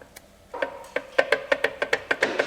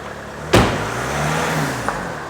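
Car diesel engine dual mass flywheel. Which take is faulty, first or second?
first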